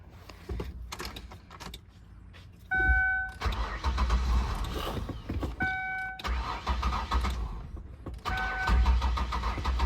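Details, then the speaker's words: 2003 Ford Windstar van with water-contaminated gas, no fuel reaching the engine, trying starting fluid: long steady cranking with brief half-catches that never pick up and run; cranks, no start from fuel starvation, owner suspects a clogged fuel filter. "Let's play some starting fluid. Man, it's still not getting me enough g"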